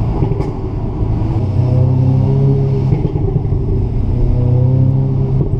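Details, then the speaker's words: 2017 facelift Audi S3 (8V) on High Street in Dynamic mode, manual mode, with the standard exhaust: a deep, steady, smooth rumble as revs gently rise and hold under light load, with no rasp or blowing. Normal exhaust note. "so again back on High Street so Dynamic mode manual mode and the standard exhaust"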